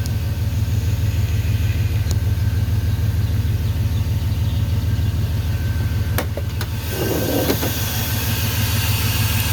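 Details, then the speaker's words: Chevrolet Suburban whose racket turned out to be the AC compressor on its own belt, not the engine: now a steady, even idle with a smooth pulse and no knocks or rattles; normal idle. "running good no more noise I'll talk about this in a second here the racket one away she running good thank God"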